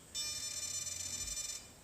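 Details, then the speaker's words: Throttle servo setup on a DA70 engine at full-throttle travel: a thin high-pitched buzz held about 1.5 seconds as the servo strains against its end stop, quieted by shortening the endpoint. "so we're at Full Throttle we'll just go until it makes a little noise here so"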